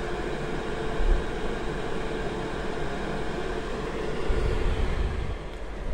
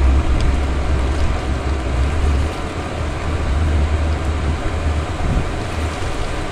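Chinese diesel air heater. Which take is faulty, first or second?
first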